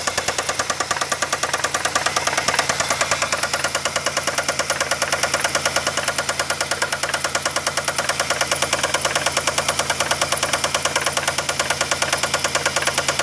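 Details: Engine at idle with banging felt through the dog-bone mounts: sharp, very even knock about three times a second over the idle; owner suspects a bad rod bearing, unconfirmed.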